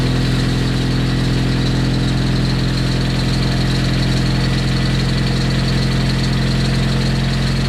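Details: Freshly rebuilt Nissan KA24DET first start after coolant line fix and bleeding, cold garage, break-in: loud, steady idle with deep even hum, no misses or knocks; runs normally.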